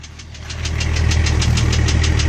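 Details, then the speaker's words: Engine back together after head work, running: sharp regular knocks about eight a second over a deep rumble as revs build, coming from the middle and lower engine, no top-end noise; owner thinks piston slap. "it's burning nice and clean. I think it's just piston slap."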